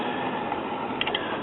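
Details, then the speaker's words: Mid-1960s Soma tube four-speed record player: turntable motor in neutral gives a steady rough, dry rushing drone; drive mechanism needs oiling and cleaning, overhaul to follow. "Yeah, you can hear that motor when it's in neutral. This thing needs oil in the worst kind of way, and cleaning."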